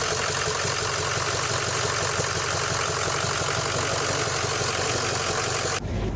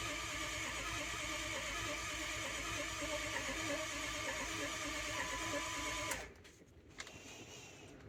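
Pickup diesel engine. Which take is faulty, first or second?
second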